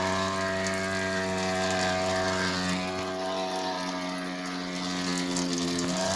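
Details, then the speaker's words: Electrolux washer keeps running with a steady motor hum and a mechanical ratcheting click about four times a second, even with power off to the outlet and to the whole house; pause and cancel do not stop it, cause unknown. "Okay, power off to the whole house and it's still running."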